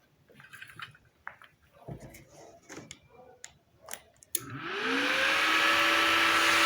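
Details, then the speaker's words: Inverter welder that would not power on, tested with its faulty power switch bridged: a few clicks, then a rising whine settling into steady hum and fan rush; unit powers up normally. "好吧，如果你仔细听，你就会听到咔哒声。这意味着它确实有效。"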